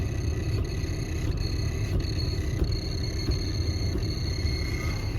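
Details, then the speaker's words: 2004 facelift Audi A6 C5: a thin, steady high squeak with faint ticks from the heater blower motor behind the glovebox at minimum fan speed, gone at higher speeds; it persisted after the motor was removed and lubricated, and a light tap stops it. "вот подскажите пожалуйста что за скрип"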